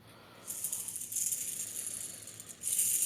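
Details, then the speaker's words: Clutch-side main crank bearing from 2010 Ducati Streetfighter 1098, 15k miles, spun by hand: dry, gritty, chunky rattle in surges; one or two balls spalled, marring others, metal in engine; crank barely turned by hand. "have a peculiar failure. So have a listen. Real chunky. The engine builder said that he could barely turn the crank by hand just because of the chunkiness in this one."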